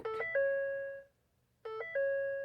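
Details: First-generation Ford Raptor with ignition on showing brake control, hill descent, restraint module, trailer brake and AdvanceTrac faults: bright multi-note chime repeating about every 1.6 seconds; dashboard warning chime, cause unconfirmed.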